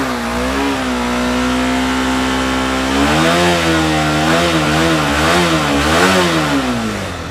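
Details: Honda CBR150R single-cylinder motorcycle started on a substitute battery after its 5-day-old battery failed from an internal short: clean steady idle, then quick throttle blips rising and falling smoothly, no misses or knocks; engine healthy.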